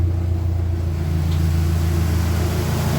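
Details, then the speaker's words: Dodge Neon stock car, after cooling fan repair with power distribution center opened: a steady low whoosh and hum as the electric cooling fan cycles on evenly with no rattle or scrape; the fan works correctly with no warning light. "There we go, the fan came on. Everything is good."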